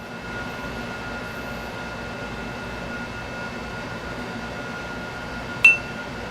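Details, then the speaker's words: Wide wheel checked after postal delivery: a single sharp tap brings a clean, lingering bell-like ring with no dull thud, so the wheel is sound and uncracked. "and I'll check all of them just to make sure one didn't get cracked no it's all good"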